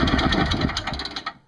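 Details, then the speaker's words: Craftsman 5hp 21-inch two-stroke snowblower after repair, new fuel line and smaller inline filter, 20:1 fuel mix, primed, full choke; catches and fires in quick even pops, then shut down, no leaks; normal running. "shut her down i don't want to smoke out downstairs here sounds good no leaks i think we have a winner"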